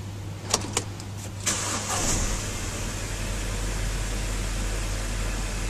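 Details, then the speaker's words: 2008 Audi A6 after repair of cylinder 3 misfire and 100 km/h vibration: four new spark plugs, new cylinder 3 ignition coil, new engine speed sensor; quick starter clicks, catches at once, smooth steady idle, no engine light; healthy start. "Start car, No let engine light on. It's starting very well."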